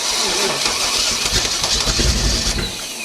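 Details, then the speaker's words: 1969 Chevy 327 V8, fuel poured down the throat, ATF in the mixture: cranks, catches and roars into a rough, loud run for a couple of seconds before fading; engine runs. "Nice. She wants all the fuel. Woo! All right, 327 runs."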